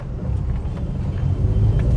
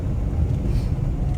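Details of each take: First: Maruti WagonR K Series driven over a rough paver-block road; loose irregular clacks about three per second from the front over low road rumble, a seat rattle also present. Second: Maruti WagonR K Series on test drive after front caliper bushing replacement: only low even road rumble, no clunks or rattles from the front end; earlier front noise gone.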